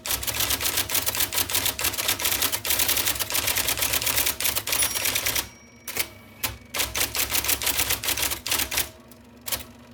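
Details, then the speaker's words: 1979 IBM Selectric II (non-correcting) typewriter, revived after fixing miswired plug, cleaning and lubricating: quick, crisp key strikes about three to four a second in bursts and pauses; healthy, normal typing. "And so here's what it sounds like. Yes, there is life in the old beauty yet. The wonderful whirring noise of the motor."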